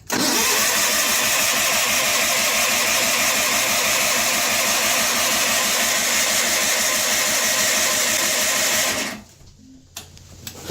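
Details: John Deere 316 lawn tractor, cold start after sitting about three months with gas in the tank; carburetor is faulty and the choke picky. Steady starter churning about three beats a second for nine seconds, never fires: cranks but won't start. It later started after plug check and gas poured into the carb.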